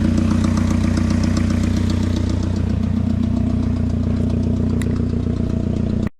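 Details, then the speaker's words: Junkyard car running on a jump box during its first drive, reported to have a coolant leak: the idle has a slight uneven stumble, about two or three hiccups a second. Light misfire, cause unknown; a spark plug is hoped to be the fault. "Still sounds like it's misfiring a little bit. We're hoping maybe a spark plug or something like that, but I mean, we did just waste $100 on a tune, so."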